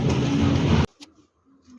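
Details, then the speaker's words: Proton Saga BLM 1.3, old water pump removed after about 4 years of use, no leak, coolant always used: rough, gritty rumble while the loose pump is spun by hand, then silence; worn water pump bearing. "Ha boleh dengar. Ha kuat kan bunyi dia kan? Bunyi bearing dia tu dah"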